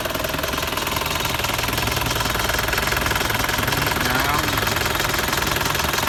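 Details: Isuzu TFR 2500 diesel idling during a basic engine-wear check: steady, even, rapid clatter with no single knock standing out. Oil residue was seen along the outside pipe, which the owner takes as a sign of a loose engine, but wear can't be judged by sound alone.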